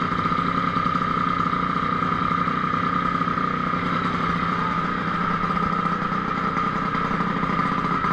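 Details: DRR race quad at idle after stator-side crankshaft seal replacement and ignition air-gap setting, done for hard starting, rough idle and power loss: the small single-cylinder runs steady and even, a clear mid-pitched drone with no misses, sounding healthy.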